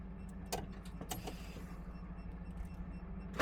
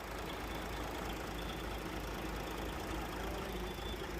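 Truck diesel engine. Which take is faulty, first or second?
first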